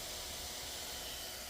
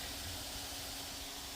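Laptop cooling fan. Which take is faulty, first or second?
second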